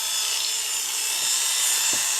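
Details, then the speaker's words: Oster A5 AC clipper on the bench, switched to high speed: steady, even high-pitched whir with no knocks, rattles or speed wobble; sounds pretty good for an Oster, cord good, normal. "There's low speed, doesn't sound bad. There's high speed, sounds pretty good for an Oster. The cord is good,"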